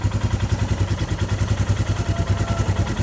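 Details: Royal Enfield Himalayan at 13,392 km, just after valve clearance (tappet) adjustment: even, steady single-cylinder thumping at idle, about three and a half pulses per second, no tapping from the top end; healthy, though it sometimes backfires.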